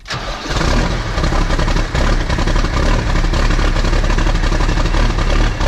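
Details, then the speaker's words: New Holland TS115A tractor diesel, cold start after sitting for a long time, smoky exhaust: it catches into an uneven, lumpy, stumbling idle instead of smooth firing. The misfire is traced to something related to cylinder number 1. "Tractors aren't supposed to sound like that. That is a problem. And I have chased it down to being somehow related to cylinder number 1."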